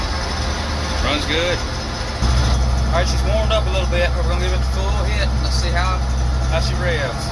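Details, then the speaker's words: Gleaner M2 combine diesel engine: deep, even drone holding steady with no knocks or misses, birds chirping over it; normal running, sounds healthy. "This thing sounds awesome."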